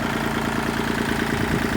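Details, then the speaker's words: Kubota tractor loader control lever with the diesel idling, after an O-ring isolator was fitted under the top joint washer: a fast metallic rattle on every firing pulse remains, likely from the lever arm bracket slapping a solid-mounted base plate it barely contacts. "i'm still getting a rattle and i think it's from this arm right here"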